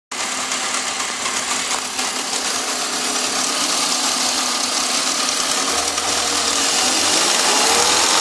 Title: Wierd Ticking Noise with Revving